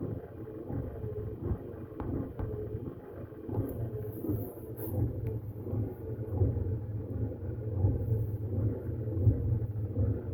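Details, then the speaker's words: Hemi Duster wiper motor driving the newly installed, greased wiper transmission: low steady hum with slow even sweep, speeding up slightly, perhaps as it loosens; wiper motor sounds good, normal operation. "Okay. Well, we can't put our wipers on yet. Not for a long time. But at least we got her that far now. Wiper motor sounds good, too."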